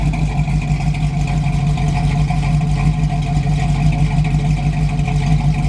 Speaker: it's sounding pretty good I think it's ready for the trip